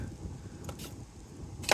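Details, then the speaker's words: Toyota Solara (Camry) convertible on a test drive over bumps after new struts on all four corners and new sway bar links. Short metallic rattling bursts are still heard; most of the rattle was in the rear, but some remains up front. "open still got some rattle up front I was wondering how much of the rattle was front and how much of it was rear definitely most of it was in the rear but uh definitely still got some up front"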